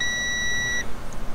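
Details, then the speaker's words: 2017 Sea-Doo GTR 230 with P0201 injector fault and cylinder 3 misfire: multimeter continuity test of injector harness wire B3 gives a clean solid beep; harness connection intact. "Okay. So, we are getting a solid beep. Now, what I'm going to do is I'm going to put it in there and kind of move the wire just to see if there's a like a small break."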